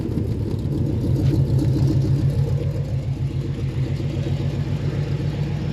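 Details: 1973 AMC Jeep CJ5 idling: even regular low chug about three and a half beats a second, no stumbles or misses; running nice and strong, healthy idle.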